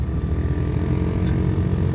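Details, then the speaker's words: 2014 Nissan Altima cabin blower under the passenger-side glovebox: steady low rumble with an uneven fluttering rattle whenever the fan runs for heat or A/C, caused by debris and dead leaves in the blower; quiet again once cleaned. "so on this 2014 nissan altima there is a noise coming out of the blower when uh turning the fan on"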